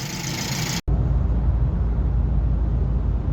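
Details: BMW 118i four-cylinder that had a cylinder 4 misfire (code 29D0), low fuel pressure code 29F3, smoke and shaking, after replacing the faulty cylinder 4 part: even, steady low idle with no stumble.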